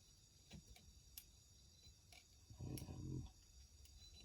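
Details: Stihl MS271 chainsaw, crank turned by hand in a quiet room: slow, uneven light clicks; bearings showed no play on PTO or flywheel side; cause not found yet.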